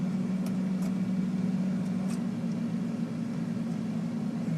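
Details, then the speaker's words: Air conditioner outdoor unit powered at 246 volts with the run capacitor missing: a steady low electrical hum with no run-up as the compressor tries but fails to start. "you might hear the compressor humming trying to start but without the capacitor it's not going to be able to so let's see what's going on here"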